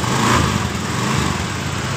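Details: Honda Beat (eSP, 2015–2020) scooter after correct refitting and greasing of V-belt and CVT rollers to fix a clunking noise on throttle; smooth steady single-cylinder idle, no rattle or clatter from the drive side; sounds healthy.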